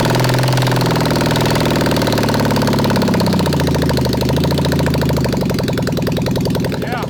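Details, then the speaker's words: Honda CB750 SOHC four-cylinder in an 1980s Suzuki Quad Sport 230, first run in years after carb cleaning, on choke, no exhaust or pod filters: loud lumpy idle, uneven beat, sagging speed; rough idle though running on all four. "it was kind of idling man yep i mean she needs well she's gonna need pods yep it's gonna need exhaust yup it's it's not gonna run right until uh we get pods and exhaust you know"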